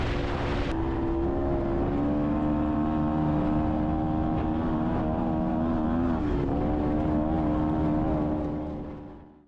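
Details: Honda Odyssey FL250 on a ride after its fuel pump was rebuilt and refitted: a steady, firm engine drone, pitch wavering slightly with throttle, fuel delivery sounding right. Normal running under load.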